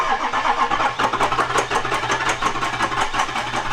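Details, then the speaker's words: Diesel truck (flip truck, 6.0 Powerstroke project) cranking steadily at about three cranks a second with sharp ticking, described as injectors clicking; air in the fuel and oil, smoking from the exhaust; crank-no-start, cause not confirmed. "it's got air in the fuel it's got air in the oil got it everywhere it's it's smoking out the exhaust though which means we got some"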